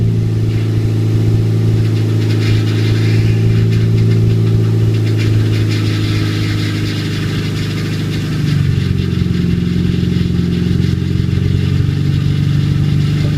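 Loud unsilenced four-cylinder idling rough with a fast rattle riding on top, settling slightly; a dry power steering pump on first start.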